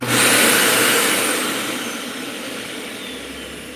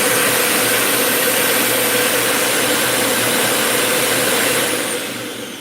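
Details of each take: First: Dyson UP19 upright vacuum with a brand new part fitted: steady airy motor rush that settles evenly with no whistle; the leak is sealed and it runs normally. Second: Dyson UP19 upright vacuum with replacement head, filter installed: thin, very high steady whistle over the motor roar, then spin-down; air leaking past an unsealed filter gasket.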